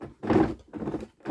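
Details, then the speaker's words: John Deere Ground Force 12V ride-on toy tractor, about five years' use: one wheel motor spun gives bursts of rough clacking about every half second; worn or stripped wheel-motor gearbox likely. "the other one's making a horrible clacking noise"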